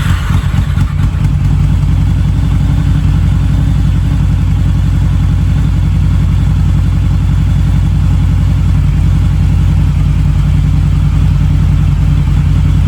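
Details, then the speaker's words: Harley-Davidson V-Rod, about 16,000 miles, first start in at least four years with fresh 91-octane fuel and new battery, warmed up: deep even V-twin throb, steady with no misses or knocks, smoke clearing; healthy running. "It's getting better. It's not hardly smoking now at all. What a relief."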